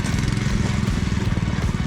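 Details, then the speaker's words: Go-kart fitted with a new 7 hp engine replacing a blown 5 hp Honda, with torque converter and live axle, started for the first time: rapid, even single-cylinder chatter under light load; it runs strong and healthy. "yeah this thing's a beast drive axle seven horsepower with a torque converter"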